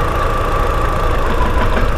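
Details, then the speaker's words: Audi TT Mk1 1.8T idling at about 900 rpm with no fault codes, then one coil pack unplugged: revs drop and can't hold steady, giving a lumpy, uneven idle with irregular thumps and visible engine shaking from the misfire. "okay as soon as I've done that I don't know if you heard that we definitely lost a few revs there and the engine fled a bit"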